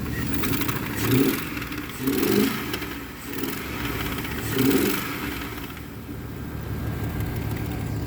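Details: Big-block OBS street truck on its first start: a lumpy, uneven idle with periodic surges and light ticking, from a dead cylinder and a couple of stuck lifters.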